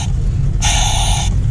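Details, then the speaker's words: Jeep YJ at idle with steady high whistling hiss cutting in and out, brakes poor; brake booster totally shot, to be replaced with a GM truck dual-diaphragm booster and master cylinder. "not only does it not have good brakes this noise you hear which sounds like a win hall"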